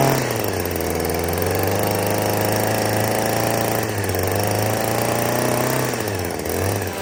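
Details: Shawa DH230 professional gas hedge clipper, a yard-sale unit that would not start, after a carburetor change and priming: low, steady engine drone at idle with only slight speed wander and no misses or sputter; now running normally.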